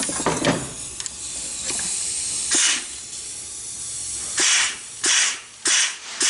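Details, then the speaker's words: 6T40E transmission from a 2011 Chevy Cruze with a 3rd-to-4th slip: air test of the 3-5-reverse clutch, hiss bursts each ending in a solid dull thump as it applies; good, healthy. "So you got a good thump. Boom. You should hear that. That's what you want, a good thump."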